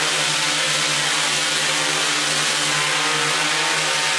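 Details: QAV500 quadcopter with Pixhawk on 6S LiPo, untuned, first garage hover in stabilize mode: even steady buzzing drone of several props at constant pitch, no surging or wobble; balanced, stable hover.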